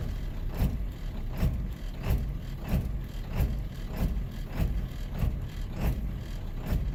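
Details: Cold-start 7.3 L diesel just after the glow light goes out: rough idle, with uneven low thumping surges about 1.5 times a second. It sometimes smooths out on its own.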